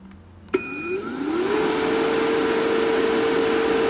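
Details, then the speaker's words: Fieldpiece MR45 refrigerant recovery machine after oil was added per the manual, following noise from recovering moisture-laden refrigerant; motor spins up quickly to a steady, even hum with no knocking or rattle, now quiet and healthy. "Put the oil in. Now she's quiet. That's a huge difference."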